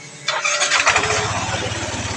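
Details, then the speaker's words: Yamaha NMAX version 1 scooter after installing a new original cam chain tensioner and refitting the throttle body: starter whirr catches cleanly into a quick, even idle putter with no rattle or tick; the noise is gone. "Goods, wala nang ingay. Ayan na, tahimik na tayo."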